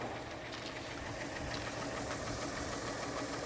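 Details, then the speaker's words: 2008 Mercedes ML350 at auction, previous damage: uneven idle with ragged knock about three per second, stumbling irregularly; seems not running on all cylinders, balance shaft problem feared but not confirmed. "I just don't think she's running on all over the sil ERS I think we have an issue here"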